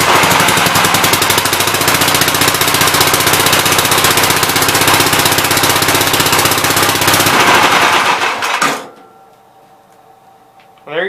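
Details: 1969 Gravely C8 tractor, brought in for no high range, right after retiming an engine found 180 degrees out: fast, crisp, even single-cylinder firing holds steady about eight seconds, then shuts off. Runs properly; high and low ranges then work.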